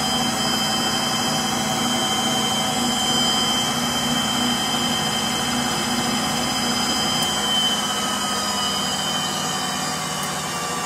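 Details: Frigidaire Gallery front-load washer GLTF1670AS1 on final spin: a steady roar with a high thin squeal on top that fades as the drum slows, from a worn motor bearing.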